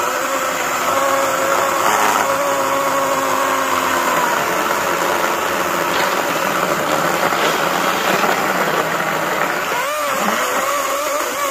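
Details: Greenworks 80V battery chainsaw cutting mostly oak sawmill slabs: steady high motor whine with rough chip-cutting noise, even under load; normal cutting.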